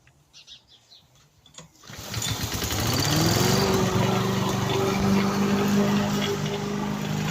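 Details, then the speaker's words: Victa petrol lawn mower after repair, blades refitted, previously stuck at full revs with throttle not adjusting: pulls into life after a couple of seconds, then settles to a steady, even buzz without surging or misfire; running normally. "thank you everyone my mellow works and I'm really happy"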